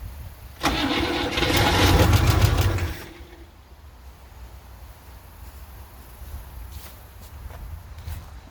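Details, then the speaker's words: Antique car revival after fuel was poured into the carburetor bowl: starter churns an even chug for about two seconds and it nearly catches, then goes quiet; cranks but won't fire yet. "That sounded a little bit like it wanted to turn over."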